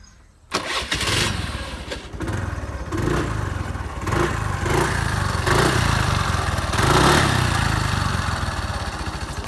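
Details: 2015 TVS Jupiter scooter at 35,000 km: the starter catches fast, then a steady, even putter at idle with only a light mechanical tick; a normal, healthy start and idle.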